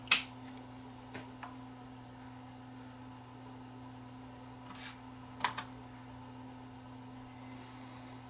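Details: Sanyo VHR-H600 VHS VCR, previously jammed and not loading tapes, powered up after repair work: quiet steady mains hum with a few soft mechanical clicks; mechanism operating normally.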